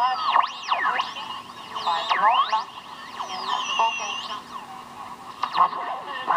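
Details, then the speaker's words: General Electric C-403A tube radio: swooping whistles and garbled distortion while tuning a station, from a poorly contacting 22k grid resistor hooked in with gator clip wires. "you see what happens when that grid resistor is messed up"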